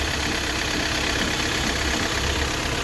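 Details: Hyundai i20 petrol engine idling roughly with an uneven, lumpy beat, knock and vibration as one cylinder misfires; scan shows an injector circuit open fault on that cylinder.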